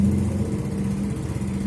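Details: Yamaha Mio automatic scooter after repair of stalling, finished and ready for the owner: single cylinder putters evenly at steady pitch, no top-end ticking or rattle; normal running.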